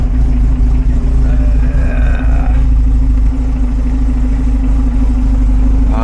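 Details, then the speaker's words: 1975 Volvo 245 wagon, 16-valve turbo with LH2.2 injection, idling around 800 rpm with vacuum about 5 and wideband 8–9; low, lumpy, uneven idle barely staying running, rich from a suspected failing air mass meter. "uh vacuum looks pretty low like fiveish and the wideband is fluctuating between 8 and 9."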